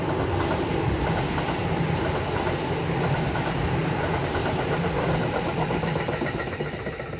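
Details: Kintetsu 5800 series set DH02 passing between Nishinokyo and Amagatsuji with a steady, rapid pounding, about four thumps a second, under the rail clatter; a suspected wheel flat.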